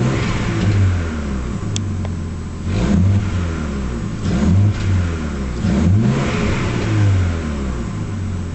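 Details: Nissan Skyline revving: the engine surges up and down with sharp pops at the peaks. Misfire with backfiring.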